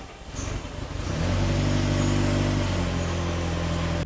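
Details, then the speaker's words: Barn-find Audi S3 parked nine years, with new plugs, on its first runs; uneven, lumpy, stumbling running under a low rumble, which the owner suspects is mostly from bad old fuel and a very old fuel filter. "Now, as you can see, it is running really rough, and I genuinely do think that mostly this is caused by the bad fuel and a really old fuel filter."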